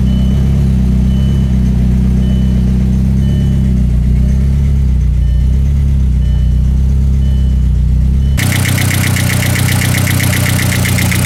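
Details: VW Mk4 Jetta 1.8T with GT28R turbo at idle after 2-step launches; ticking from the head grew louder on the drive home and idle acting up; light quick top-end tick over uneven idle; owner suspects cam chain tensioner or dry lifters.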